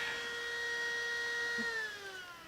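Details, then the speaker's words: Macintosh II power supply, old Sony unit, first power-on during restoration: loud steady whine with a ringing overtone sliding down in pitch as it winds down; fan sounds harsh and noisy, though the supply kind of works. "oh oh okay it turned on listen to that fan oh my God that thing is ugly or sounds ugly"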